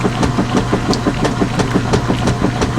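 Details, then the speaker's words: Direct-drive washer loaded with 10 towels, agitating normally: nice even strokes, about three a second, with a soft thump on each reversal; the machine still clunks a bit, which is its own nuance. "nice even Strokes now that never gets old not at all"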